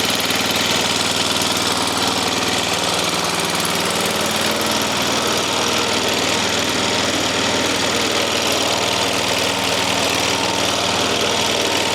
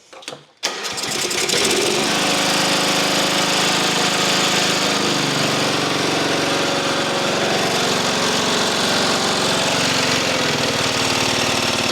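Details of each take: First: Small flathead single-cylinder engine in a swap, head refitted after flooding, kill wire removed: fast, slightly uneven running with occasional faint stumble; runs not too badly, owner expects carburettor needs going through. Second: Mower engine after an engine swap fires right up on full choke and holds a steady, even drone with no hunting or surging; carburetor not leaking, running healthy.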